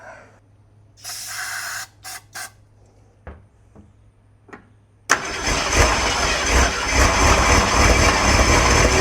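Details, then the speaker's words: 1968 Ford Torino with previously seized engine: stuttering cranking and false catches, then it fires and runs loud and uneven; carburettor venturis initially squirting fuel on only one side, still needs sorting, cause not confirmed. "She might be running like a one-legged, deaf, blind, and dumb dog, but she's still running."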